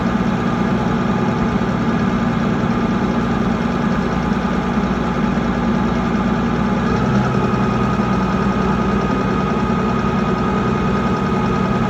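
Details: Mitsubishi 6M60 diesel crane engine: heavy idle with uneven, lumpy beat and dropped pulses, engine shaking; misfire, cause not pinned down.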